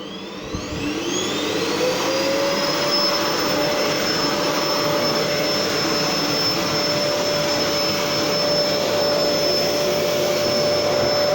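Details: Gerer8 Power MAX 2000W old vacuum cleaner during passes forwards and back: steady high motor whine that spins up and settles to an even pitch with airflow rush; suction clearly felt, smooth, healthy running.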